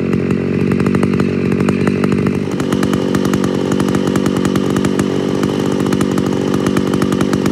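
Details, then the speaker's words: Homelite Super XL-925 82cc vintage two-stroke chainsaw, governor blocked off: strong steady buzz holding pitch without bogging or sputtering; runs and sounds good. "but boy does it sound good doesn't it it runs good"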